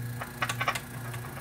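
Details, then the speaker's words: Vintage Pentron tube reel-to-reel recorder being restored, controls gummed with grease: scratchy crackling bursts over a steady low hum as the control moves; static believed to come from the volume pot; crackling audio static. "oh my gosh that is so gummed up feeling all the grease and everything on this stuff is just dude there's static"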